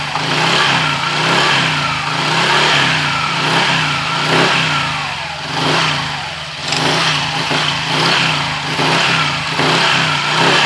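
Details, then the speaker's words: Honda Click 125i scooter after CVT cleaning; clutch assembly was very dirty, plate rusted, clutch spring ends marked and near breaking: revving with smooth drive note, faint whistle rising with revs from belt design; belt still due for replacement, otherwise quiet. "Natanggal na yung maingay niya. Pero yung ano natin, palitin pa yung, yung belt. Medyo may sipol ng konti dahil sa design ng belt na yan."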